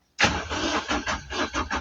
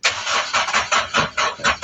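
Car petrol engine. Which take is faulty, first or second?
first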